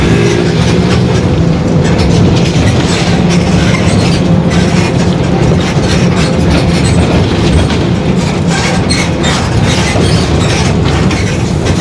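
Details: 2021 Marcopolo Torino S extended urban bus on a Mercedes-Benz OF-1721 BlueTec 5 chassis, driving: a steady low growl and hum under the road and body noise; the differential is growling (diferencial roncando).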